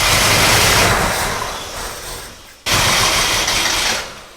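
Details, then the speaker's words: Gilbern Invader Mk3 barn find once fuel pipe was in fuel: ragged, uneven sputtering that surges then fades twice, never settling; plugs suspected and one found loose. Misfire from loose spark plug. "let me clean plugs i think it's plugs turn it off so close we'll just start taking the plugs out and what happened cause one of them was loose"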